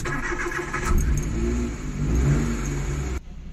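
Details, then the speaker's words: Suzuki DA64W minivan, non-turbo with 3-speed automatic, starting badly for weeks, started with the accelerator pressed: the engine runs ragged and surges, dies if the pedal is released while warming up; hard starting, cause unconfirmed. "So dito sa part na 'to, nag-start ako ng makina pero sinasabay ko yung pagtapak sa silinyador para kumagat yung engine."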